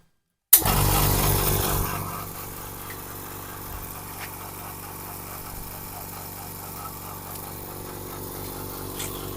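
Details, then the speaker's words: Oil-free air compressor that filled its tank very slowly, after clearing a clogged intake air filter: sharp start then an even, regular pumping beat about four per second, no rattles or labouring; gauge reaches 60 in under a minute, normal running. "ครับนี่คือเสียงเครื่องปกติครับผมเดี๋ยวเรามาดูเกดกันครับผมนี่เห็นมั้ยครับเกดวิ่งดีเลยครับผม"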